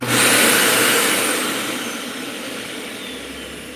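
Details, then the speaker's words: Dyson UP19 upright vacuum with a brand new part fitted: steady airy motor rush that settles evenly with no whistle; the leak is sealed and it runs normally. "No whistle. Cool. So, it just sealed it all up."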